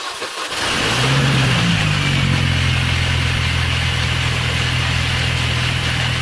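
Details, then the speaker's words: R53 Mini Cooper S at start-up and idle, before the rebuilt supercharger is installed: a harsh metallic grinding chatter over the idle, the supercharger "death rattle". "you can probably tell it is a horrible noise it's just very mechanical and grinding and atomic annoys so let's get rid of this noise and we'll get that new supercharger on so we can enjoy the car again"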